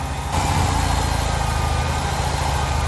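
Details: 1993 Ford F-150 with six-cylinder engine, told by a mechanic it had low compression and needed a new engine: uneven lopsided idle with periodic stumble; one cylinder not firing, compression test to follow.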